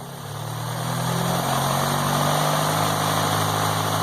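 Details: MK2 VW GTI converted from fuel injection to four Yamaha R1 motorcycle carbs, first start with fuel pressure set to about 3: a steady, slightly fast idle with an even low drone, no leaks and no rich smell. Idle speed set a bit too high.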